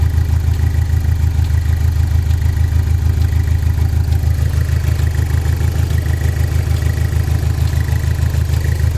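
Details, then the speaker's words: Saturn Sky after fan controller module replacement for overheating: uneven, lumpy idle pulsing about 200 per minute, sounds like running on three cylinders; cause suspected misfire, unconfirmed; rough idle. "So sounds like it's running on 3 cylinders, which makes no sense. All we did was change that little fan module, and now it's running on 3 cylinders."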